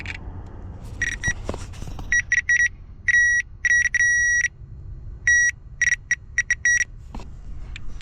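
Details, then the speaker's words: Duramax truck right after a new alternator was fitted, same problem persisting: sharp high-pitched beeps in uneven clusters keep repeating over a low idle; the charging system warning chime is still going off. "This is when you know it's bad, that noise."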